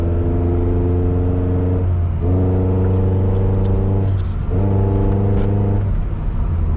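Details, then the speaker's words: 5th-gen Honda Prelude, after fuel pump and filter work: engine pulls up steadily, then sags and stumbles, revs dropping twice before recovering, still bogging under throttle; owner suspects base ignition timing, not yet verified. "Yes, it's still bogging. So the problem is going to be in the timing, I believe. Something's probably not right with the timing."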